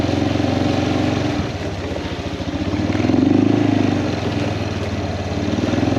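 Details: Kawasaki Prairie 400 ATV after engine rebuild, riding test: single-cylinder thump rises and falls with throttle under load, firing evenly with no knocks or misses; runs fantastic, float still needs adjusting.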